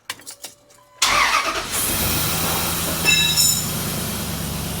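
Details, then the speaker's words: 4.7L Dodge V8 after replacing a sloppy new lifter (third repair attempt for persistent tick): starter catches, engine settles into steady, even idle with no ticking; tick gone. "Now, you notice the ticking is gone."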